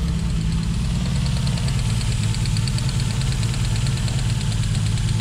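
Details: Toyota Supra petrol engine at idle with a fast, light, regular tick above the rumble; owner was told a bearing could be the cause, but ticking persists with the belt off, source still unknown.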